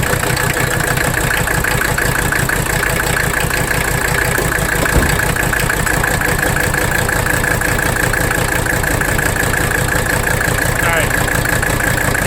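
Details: 1985 Mercedes 300D diesel idling in drive under AC load during a rack damper bolt adjustment at the injection pump; lumpy, uneven chug a little over one beat per second; rough idle, and the adjustment did not cure it.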